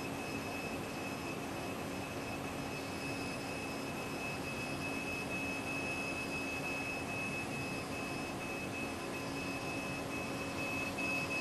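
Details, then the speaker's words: Mundt femtosecond laser station stage being jogged/servoed: steady whirring hiss with a thin high tone over a low hum while the stage travels; ordinary, somewhat noisy servo stage motion. "And I hear this sound. It's normal. Yes, that's normal. Okay. That's the servoing of the stage. Okay. Their stages are a little bit noisy."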